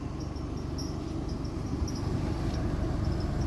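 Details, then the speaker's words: 2005 Scion xB with AC on and fan on high after replacing a ripped belt and tightening bolts: faint quick high chirps about four a second over low engine hum; belt still loose and needs tensioning. "and then you can actually hear that that noise coming from the belt that's definitely needs retention"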